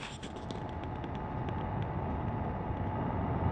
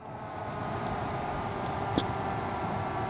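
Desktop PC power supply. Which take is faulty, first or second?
first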